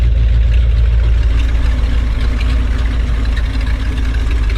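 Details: 1970s Ford dentside ramp truck V8, first run after 10 years sitting, newly fitted HEI ignition: deep, slightly uneven idle with a faucet-like hiss; unsettled, not cleanly fuelled; owner suspects it needs a fuel pump and maybe a carb rebuild.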